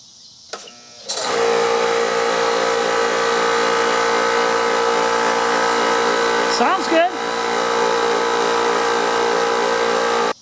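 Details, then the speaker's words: DeWalt 6-gallon 135 PSI hot-dog compressor after freeing seized piston and fogging-oil lube, on 25 ft cord, drain closed: steady motor drone with even pumping pulse, builds pressure normally and cuts out at factory 135 PSI; air filter missing. "Well, there we go. She cut out. 135, which is the way they're set at the factory."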